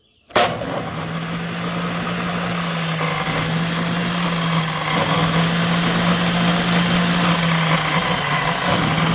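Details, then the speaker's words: DeWalt chop saw that had been bogging down (owner suspected brushes), after repair: motor spins up quickly and faster than before, holding a steady, even hum without the earlier loud noise; normal running. "Sounds like it's revving up faster. I don't know about any higher, but faster."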